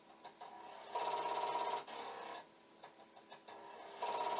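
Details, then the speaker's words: Commodore 1541 disk drive (C64) head repeatedly banging against its stop in bursts of rapid rattling with thin buzzing; drive not reading, light not flashing. "because it's very constant and but the head banging sounds good see what it should do if it suddenly decides it's okay is the light should just start flashing and the head banging should stop but it is not happening"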